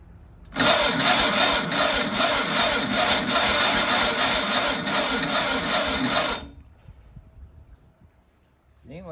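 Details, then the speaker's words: Malibu Grand Prix car on its first start attempt, battery on a 12-amp charger. A rough, buzzing, uneven crank lasts about six seconds and never catches. The owner suspects the starter was jammed and dragging; not confirmed. "it did something almost let's see i don't know maybe it just got a little more voltage on the starter but it seemed like it was turning over"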